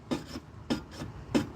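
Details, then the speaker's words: Pontiac Firebird running cold, needing throttle until warm, with oil in the engine: sharp scraping rubs about every 0.6 s with softer ones between; the fan is catching a shroud busted after the bent core support was straightened. "Yeah, it has oil, everybody. It's the fan hitting the shroud. How many times do I have to explain that?"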